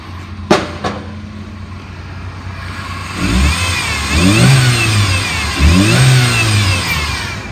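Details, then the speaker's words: 2000 Chevy S-10, 2.2-liter four-cylinder, automatic, mileage unknown, warm after about 30 minutes running: smooth steady idle then two clean revs climbing and dropping evenly, no knocks or misses; engine sounds healthy. "motor sounds good it's been running for about 30 minutes it idle's pretty smooth it revs up good"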